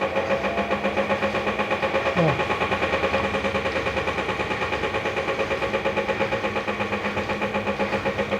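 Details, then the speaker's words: Electrolux washing machine with a noisy drive mechanism that is also not agitating to wash: steady pulsing drone with a rough rhythmic beat through the cycle; loud, abnormal mechanical noise from the mechanism. "Além de fazer o barulho, ela não tá também agitando para lavar. Mas escuta o barulho, você vê."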